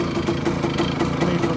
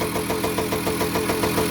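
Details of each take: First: 1985 Kawasaki KE100 two-stroke, sat many years, blocked carburettor, idling in neutral: busy, slightly irregular rattle over the putter; owner unsure of the source, not yet pinned down. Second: 1985 Kawasaki KE100 two-stroke, first start after years sitting, blocked carburettor cleaned, running on premix: crisp, even popping at a steady tickover with no misses or rattles; idling cleanly.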